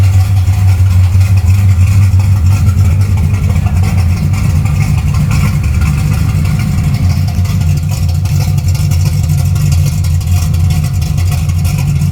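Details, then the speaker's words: Karla's Camaro V8 idling after a full rebuild (new converter, cam, lifters, rockers, springs, intake, wiring, plumbing, fuel system; valves and preload set by Karla): steady, even, deep, low burble with no ticking or knocking; not bad at all, everything working. "Not bad at all. Everything's working."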